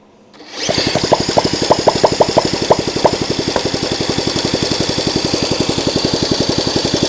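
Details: Honda CL90 with a formerly seized engine, kick-started on starting fluid after tightening a loose carburetor: rapid, uneven kick-over pulses with a few sharp pops that catch briefly then die; fires but won't keep running.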